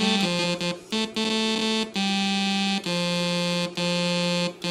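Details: Sequential Circuits Prophet 5 during restoration: held keyboard notes where one voice lands between E and F, clearly off pitch; seemingly random wrong notes traced to a drifting oscillator on that voice (voice one).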